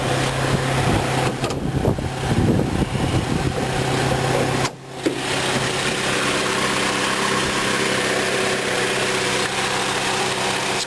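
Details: 2003 Saturn VUE AWD, 2.2 L four-cylinder, idling after start: steady, even hum with no ticks or misses amid some handling noise; sounds healthy.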